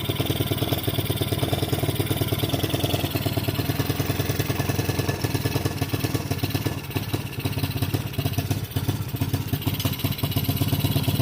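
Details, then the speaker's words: 110cc kids quad revived after 2+ years sitting outside, carb cleaned but leaking: small single thumping evenly at one speed and never picking up; won't rev, owner suspects the throttle stop screw, to be backed out. "I'm pretty sure I discovered why it won't rev up right down here that screw that is the throttle stop back that little screwing nut out all the way and then we can rev It Up"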